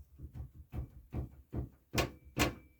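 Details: 2005 Chevy Express van: hollow clunks and rattles, two or three a second, from a sway bar bushing with excessive play, reproduced by levering between frame and sway bar with a pry bar.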